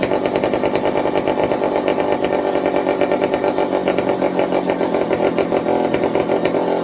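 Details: McCulloch 55 gear-drive chainsaw after a homemade Scotch-Brite pad tank wick and a 090 carburetor swap to cure fuel starvation: steady, even two-stroke buzz holding constant speed without stumbles or surging; running cleanly, normal.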